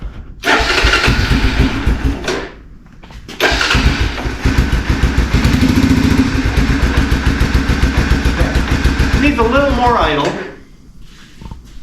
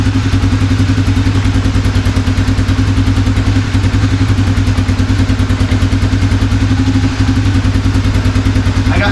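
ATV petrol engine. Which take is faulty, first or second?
second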